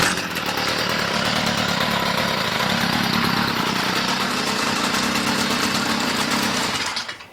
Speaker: so ever we just saw a machine completely bogged down um you know there's a couple different reasons for this this particular reason is because it's Out Of Tune